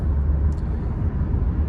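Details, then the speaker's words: 1989–93 first-gen Cummins diesel, cranked after bleeding the cracked fuel lines: deep, even cranking with steady compression pulses that never catch. No-start. "So she was trying to crank it. Nothing would work."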